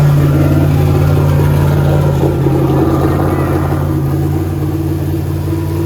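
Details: Turbo LS Mustang built for 1000+ hp, new Aeromotive fuel system, first fire-up; deep choppy lope at idle near 900 rpm, even with no misfires, air-fuel ratio right on; normal big-cam idle.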